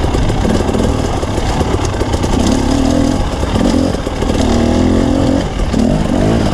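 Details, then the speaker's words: Two-stroke dirt bike racing at Merritt: blats and wavers unevenly revving under load, flat and rough; running poorly, cause unconfirmed. "It's noticeable on the bike too, but it was really noticeable when you watch the video. It just sounds like crap."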